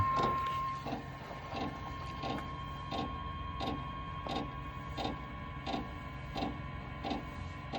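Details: Velit gas/diesel air heater in a Ram Promaster van after replacing two-year-old fuel lines (Error 01 at elevation, Error 02 from air, lost prime): quiet sharp ticks about 1–1.5 per second over faint fan hum; fuel pump priming, air bubbles working through the line.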